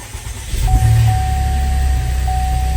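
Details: Salvaged 2024 Buick Enclave Avenir during rebuild, first start after bleeding the coolant and brakes: the engine catches promptly and settles into a steady, even low hum under a constant chime; a clean, healthy start.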